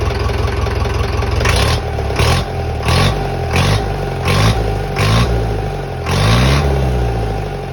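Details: Tata 709 non-turbo diesel truck, first start after overhaul. Repeated short clean blips dropping back to a steady idle, smooth with no knocks; healthy engine.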